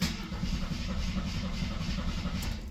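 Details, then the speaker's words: 1973 AMC Gremlin six, sat 30 years in a barn: starter spins the six at a steady, even beat but it never fires; cranks fine, owner suspects no ignition, possibly mice-chewed wiring. "Oh, our radio does work. I don't think we have any ignition."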